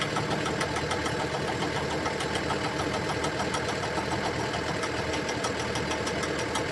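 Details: Komatsu excavator swinging, engine running; regular knock roughly three per second, abnormal noise from the swivel joint.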